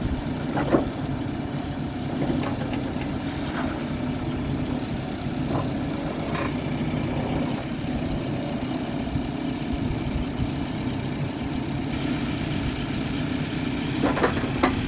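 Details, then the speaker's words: New Holland B95C TC 4x4 tractor loader backhoe, about 1,225–1,525 hours, well maintained, running after start-up: low even diesel rumble with a few machine clanks, no knocking or misses; runs nice and quiet, normal. "Ken's going to start it up. Starts and runs good."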